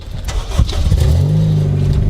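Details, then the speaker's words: Honda Civic Si EP3 started and revved before header swap: cracked, broken headers give a raspy, blatty, nasty exhaust note from the leak; to be replaced with used, uncracked DC headers. "Alright, today we're gonna fix my exhaust leak. You know, them headers I have, they're broken. Sounds nasty."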